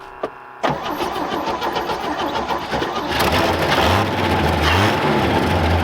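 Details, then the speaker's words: Left-for-dead 1966 Chevy C10 parts truck, sat for an unknown time, restarted after charging a weak battery: silence, a click, then it fires and settles into a steady, even idle with a slight rise in revs. "had all righty now that we've got it running we're going to go ahead"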